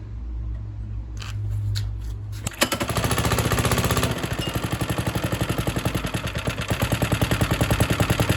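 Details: Suffolk Super Punch 17-inch lawnmower: small single fires and chugs unevenly about two and a half beats a second, then falters and dies; spark confirmed okay, owner suspects carburetor needs cleaning.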